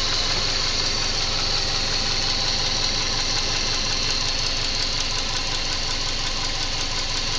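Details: Subaru EJ204 boxer engine at idle after installing a used contract engine: steady knock about three per second; engine knock, cause not yet determined.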